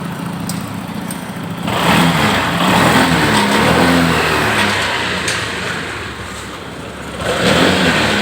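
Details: Honda PCX that had no power at full throttle: after a scanner check, the engine picks up cleanly on each throttle blip and settles back smoothly, now running normally.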